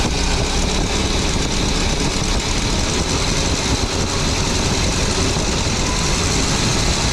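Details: 23-foot Birchaven motorhome V8, Quadrajet carb, after 12 years stored, warming up, oil pressure good, less smoke, coolant leak owner suspects from heater hoses: dense, steady idle rumble, no knocks or misses; sounded pretty good, normal idle.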